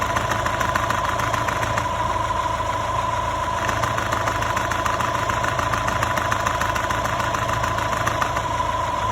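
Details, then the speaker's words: Copart Subaru Outback at idle before repair: fast, light clattering tick a couple of times a second over steady idle, timing belt tensioner clatter. "So this hydraulic tensioner right here will solve our clickety-clacking problems."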